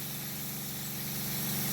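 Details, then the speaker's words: New small inexpensive Seaflow variable-speed pump on battery and solar power, drawing through a PEX suction tube from a fresh spring (about one gallon per minute), feeding a shower that restricts output: steady even buzz with fine regular pulse and water hiss, nice and quiet, normal running. "now the shower has restricted the output and listened to the pump hear it nice and quiet"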